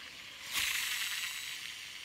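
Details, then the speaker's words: Shimano Exsence DC baitcasting reel after DC brake module replacement: spool gives a high, airy whir that starts suddenly and fades, the normal electronic DC brake whine, previously missing after a backlash and now clearly audible. "you can hear it, the DC sound, right? Just go back to the start of the video and try to listen again the DC. You will not hear the DC sound, but now it's much more apparent."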